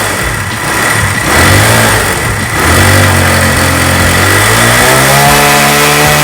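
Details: Mahindra Centuro motorcycle with newly fitted LPG kit, carburettor drained of petrol: engine catches and revs up cleanly, pitch rising and settling smoothly; runs evenly on gas, normal running.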